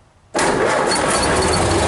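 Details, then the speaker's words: 1930 Ford Model A on an 8-volt farm battery with heavy-duty cables: brief fast crank, instant catch, strong even running; quick start with stronger spark. "starts like a brand new car now and an 8 volt system"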